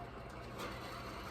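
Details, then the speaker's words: Husqvarna zero-turn mower deck idler pulley spun down by hand during deck rebuild, quiet even whir with no grinding, rasp or clicking; idler bearing sounds good. "This one, this pulley, idler pulley, that sounds good."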